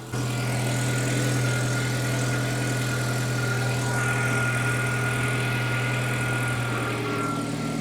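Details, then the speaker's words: Datsun 120Y warm carburetted engine before idle adjustment: steady but slightly high idle, owner thinks spec is about 600-700 rpm and aims for 700; could not go lower possibly because ignition timing is off. "as you can see the idle speed is slightly high I'm not sure where it's supposed to be I think it's around 600 or 700 or around that Mark so I'm gonna try to lower it"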